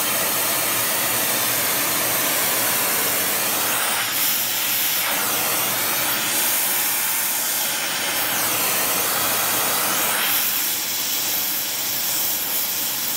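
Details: Welding with a small mixer torch on Air Products Integra oxy-acetylene cylinders (integrated regulators, flashback-arrestor couplings), aiming for 4 psi on a 380 psi gauge. Steady rushing hiss swelling and easing as the torch moves, no popping; normal flame.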